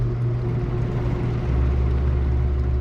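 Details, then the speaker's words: Portacool Jetstream 260 evaporative cooler with 36-inch fan blade on its lowest variable-speed setting: steady, fairly quiet low hum with faint constant tone, no rattle or wobble; normal low-speed fan running. "here's the lowest setting. You can hear it's not too loud, but you crank it up."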